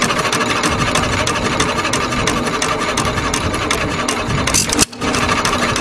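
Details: 1921 Hercules 1½ hp stationary engine with Webster magneto and a substitute earlier-style flywheel, after repair: even, closely spaced mechanical clatter and firing about three times a second with no stumbles; runs nicely.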